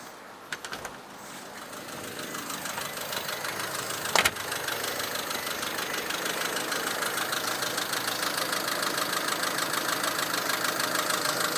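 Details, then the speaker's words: Honda Civic EF wagon, first driving on own power, warm idle, mic worn on speaker: light quick metallic ticking from cylinder head; valve lash needs adjustment. "I don't know if you can hear since I have the mic on me, but the head itself has a little chatter in it. I need to adjust the valve lash, which is no problem."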